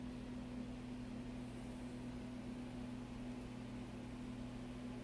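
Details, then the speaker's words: Macintosh TV logic board after recap, right channel digital noise fixed by repairing an open non-inverting input to the JFET op amp: only a faint steady low hum and soft hiss, no crackle or buzz; clean audio output. "imagine that noise is gone no more noise"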